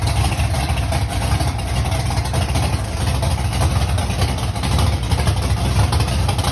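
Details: Mustang big-block V8, first start months after a fire, oil pump broken prime screw: loud choppy uneven idle with missing beats, sounding like it is not hitting on all cylinders; cause unconfirmed.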